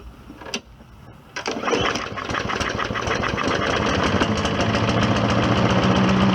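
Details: Old Hyper Tough lawnmower after cleanup and new rear wheels, primed seven times and pull-started, with diesel oil in it: it catches and chokes itself briefly, then levels out into a steady, even run; repair called successful.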